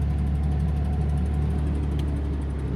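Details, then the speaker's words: 2000 Ford Mustang V6 at idle: a steady low hum with a faint, quick, even tick at engine speed. Owner suspects tappets or lifters and wonders if it is also missing; engine ticking at idle. "here's the reason I'm having trouble selling this Mustang. Listen to that tap. Thinking tappets or lifters."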